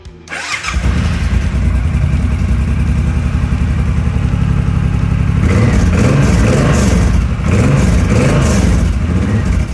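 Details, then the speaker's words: Suzuki M90 (2014) motorcycle after fuel pump replacement, fuel pump primed several times: engine cranks, catches and settles into a steady, even idle with a couple of smooth revs; no popping heard, dry gas still suggested. "I would still throw some dry gas in there I don't hear the [Music] popping okay that's it"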